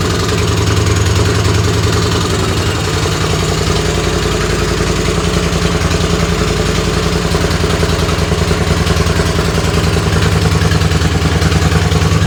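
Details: Race tractor engine run, coil ground wire used as kill switch, belt flopping: heavy, loud, steady exhaust drone with a fast even pulse of about 200 a minute and no knock; the exhaust is still very loud.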